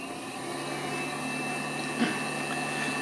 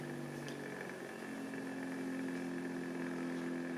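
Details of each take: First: Knockoff Pierburg BMW electric water pump on bench PWM control: constant full-speed whir, fixed high tone; runs only at 100% duty cycle and switches fully off below it, dumb on/off mode. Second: Knockoff Pierburg BMW electric water pump, supply lowered from 12 V to about 9 V, PWM duty cycle turned down: quiet steady hum with faint even pulse, no rattle; running smoothly at reduced, variable speed.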